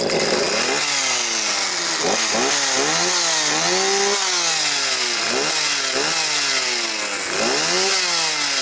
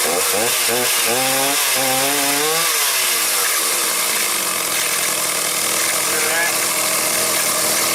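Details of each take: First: Stihl 029 chainsaw after replacing broken clutch springs, which had let the chain spin at idle and on starting; even revving blips, clean pickup and steady high-speed note with no misfire, clutch no longer dragging. Chain still not oiling, hose suspected. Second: Stihl 029 chainsaw with rim sprocket revving with a harsh rattling buzz; the chain keeps turning at idle and when starting. The clutch springs were broken, and a cover washer behind the clutch was missing.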